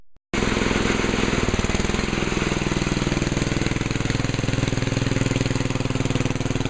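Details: 1968 Sears 10 XL tractor mower after belt replacement; small single-cylinder engine in steady even thumping about four beats a second, no knocks or misses; normal running.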